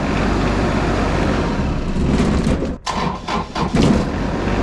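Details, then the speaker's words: Small Kubota diesel jump-started with a VTOMAN 2000A jump starter; cranks briefly and catches straight away, settling into a steady even chug each time, starting cleanly with no hesitation. Normal start. "i'll go ahead and try to start it it's hooked up here we go boom fired right up so it had plenty of juice"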